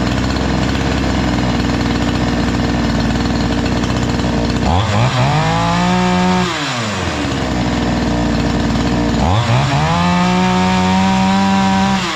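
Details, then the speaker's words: Chinese-engined two-stroke brush cutter that previously would not run, after repair: steady idle buzz, twice rising cleanly to full throttle and dropping back without stumbling; normal running. "evet Arkadaşlar gördüğünüz gibi basit bir işlem de motor çok değişiyor"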